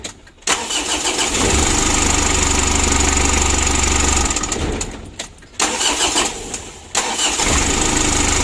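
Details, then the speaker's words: 2011 Mitsubishi L300 diesel, hard starting and down on power, after injection pump adjustment (original pump, not overhauled): cranks briefly and catches, idle sags and recovers; starts much better but still not crisp. "kita coba Soccer kalau dibandingkan dengan ya sangat jauh sekali ya memang ini tidak nyes cuman masih bisa dipakai teman-teman ya"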